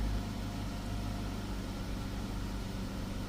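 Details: Chrysler 300 3.6 V6 after oil cooler housing and line replacement, codes cleared, crank signal checked, oil pressure 83 psi: low, steady idle hum, even beat, no knocks, ticks or hunting; sounds okay, no code.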